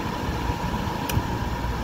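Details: Coleman basement RV A/C on a 1997 Vectra Grand Tour, after leak repair, first-stage compressor running (about 8 amps) before second stage kicks in: steady even low hum without knocks or surging; running smoothly.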